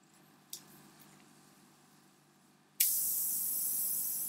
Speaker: and i've now got a puncture i can hear the air hissing out of this you may be able to hear it there you go my tire is slowly going down